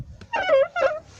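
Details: BMW E39 door check strap: short squeaky creaks as the door swings; soap lubrication only helps briefly, possibly washed off by rain, so strap re-greased with soap.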